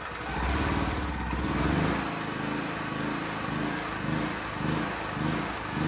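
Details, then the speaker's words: Used Champion C49055 generator, Honda GX270-clone engine in unknown condition, new tri-fuel carb running on propane, idle just adjusted: engine speed swells and sags about once a second instead of holding steady, hunting, needs tuning. "oh that's not good i hope you can hear me but i adjusted the idle for the load speed here you can turn up and down the rpm um it's bouncing around"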